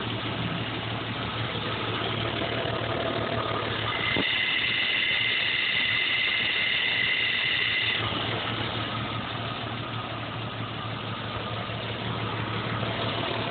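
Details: 1987 Jeep Cherokee/Wagoneer Limited idling: uneven, shaky beat about three per second with a brief rise midway; rough idle, cause not identified.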